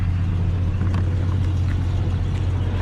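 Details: 1995 Jeep Grand Cherokee started after sitting six months, just after replacing a bad battery; steady low idle rumble with no knocks, misses or surging.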